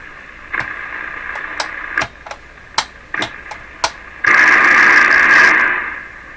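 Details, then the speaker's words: Sears Silvertone 7054 tube AM radio, first power-up checkout, all tube heaters lit, no antenna fitted: crackling static, pops and steady hiss, no strong mains hum; working normally, just picking up shop noise. "Now there's no antenna on this, so the most it's going to do is pick up funny noises in my shop here."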